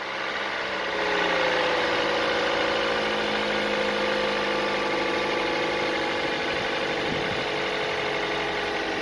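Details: Toyota 1NZ-FE 1.5 liter petrol engine idling just after starting with a light metallic timing chain rattle that lasts a few seconds then goes quiet; fix is replacing the timing chain tensioner, or the full chain set if noise persists.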